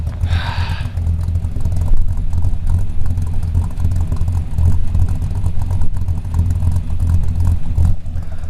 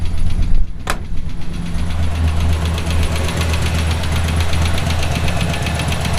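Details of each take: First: Small-block Chevy V8 with a mild RV cam in the Route 66 Buick: a deep, steady, even idle rumble after the exhaust leak was fixed; no ticking remains. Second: Route 66 Buick engine developed a sudden noise while driving: heavy, regular knocking over a deep rumble, increasing with RPM; not exhaust or lifter, seems to come from down low, so rod knock suspected.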